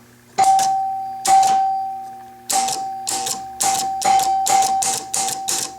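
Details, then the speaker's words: Chicago Coin Blue Max electro-mechanical pinball under repair, player unit stepped by hand: about nine crisp clacks, spaced unevenly then quicker, each clean; player unit advancing properly to the next player. "So let's advance the player unit. I'll pull this one up. That moves us to the next player."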